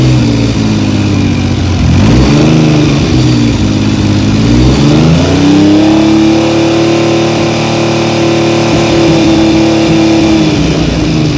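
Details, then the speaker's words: 1975 Triumph Trident T160 after a full rebuild, held at about 3000 rpm for a strobe ignition timing check: a smooth, even three-cylinder note with no knocks or misses. The engine is healthy and the timing reads virtually dead on. "so i'm going to start the engine up and then i'm going to fire the strobe and uh see what the engine time is like it sounds pretty good to me"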